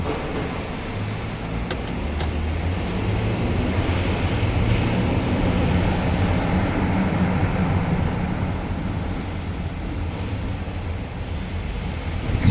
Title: 2011 Ford Edge making noise while steering left up parking ramp Oct. 2018 (What is it???)